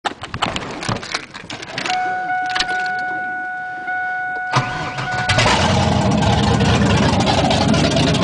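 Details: V8 first start running on all 8 cylinders after fixing a plug wire that caused a misfire: starter cranks, engine catches to an even idle with a faint light tick; something still not right, source unclear.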